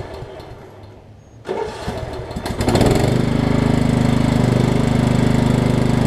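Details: Over-20-year-old Craftsman riding mower, Kohler Command engine, started for a test cycle after the wrongly fitted deck belt that locked the engine was refitted: quiet, a short crank, then it catches and settles into a steady, even run; normal start.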